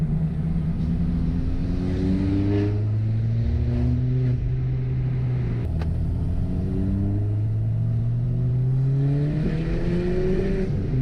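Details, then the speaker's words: Ford Fiesta ST on methanol: revs climb then stumble and fall back near the top instead of running clean; heavy high-rpm misfire, cause not confirmed. "Bien, hubo misfire. alcancé a hacer ese. No más, tengo demasiado misfire."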